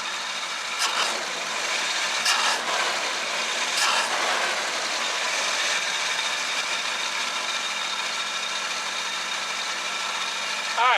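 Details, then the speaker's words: 1966 Chevrolet C10 V8 after a tune-up with oil change, dwell, timing and carburetor set: steady, even idle at about 700 rpm with no stumble or misfire, a few handling clicks; normal idle. "I think that's pretty good we've got the tax set at about 700 rpm it doesn't seem like it hesitates when you hit the gas the timing seems better"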